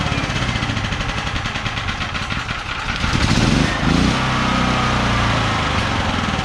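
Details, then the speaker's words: ETQ TG72K12 portable generator, about 14-15 years old, 13 hours, unrun 10+ years: steady single-cylinder chug that settles then picks up as auto throttle opens; smooth even running; normal running with auto throttle. "oh look at that even the auto throttle works wow I really didn't think that was going to start"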